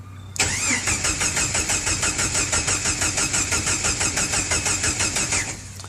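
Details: Jeep Wrangler YJ cranked through an added momentary toggle starter switch with the key out. The starter turns the engine evenly, about three turns a second for five seconds, without firing; cranking is healthy and it won't start with the ignition off.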